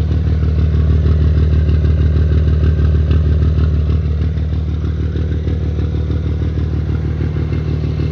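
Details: Diesel idling with a quick, fairly even ticking clatter, about three per second, after valves were set loose to clatter. Owner suspects lost power and turbo pressure at low rpm and plans a return to the original 40x60 lash. Excessive valve clearance.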